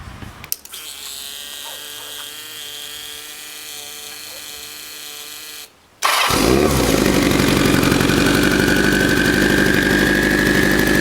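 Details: 1984 Kawasaki GPZ750 Turbo, fuel-injected, first start after sitting under a tarp since 1989; rusty fuel tank, dirty injectors. After a short start and pause it settles into a steady, fast, even idle with a faint rising whistle, smoothing out.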